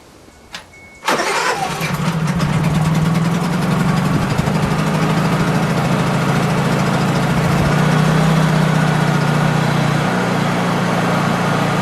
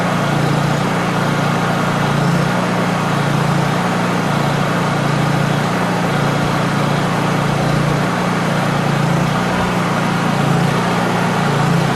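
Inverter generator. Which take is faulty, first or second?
second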